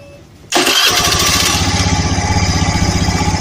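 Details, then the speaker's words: Honda Vario 110 injection scooter that only clicked on starting, after starter motor fix: brief crank then catches at once into a steady, even putter; starter and engine normal. "itu bisa dilihat ya kalau dinamo sekarang normal starter pun normal"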